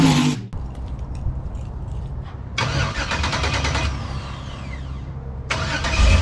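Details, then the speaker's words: Cold start just after exhaust and catch-can plumbing: cranks, fires, then a deep, muffled burble that swells and eases; exhaust tamed down a lot; normal cold start. "So yeah, that's a full-on cold start. So it tamed it down a lot."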